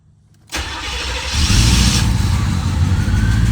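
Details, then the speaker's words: C4 Corvette hot restart after the engine was warmed up, following a cheap fix for a VATS-related hot no-start: quick crank, fires at once and settles into a steady, even idle. Hot start now healthy. "Okay, hold on, it's working. Yo, it worked. Oh my God. Okay, we're gonna let it run."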